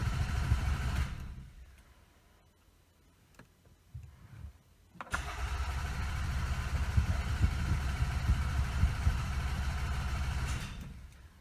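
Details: Toyota Camry with the EFI fuse pulled: two stretches of steady starter cranking at about three turns a second that never catch; spark present but no fuel delivery, a crank no-start.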